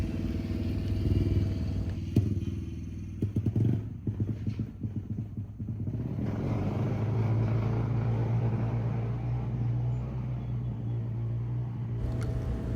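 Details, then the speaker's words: 1978 Honda XR75, first start after not running since the late 1990s: loud raspy exhaust, stumbles and sputters unevenly then settles to an uneven drone; rough running. "Well, it's running, but it's pretty rough and it's pretty loud."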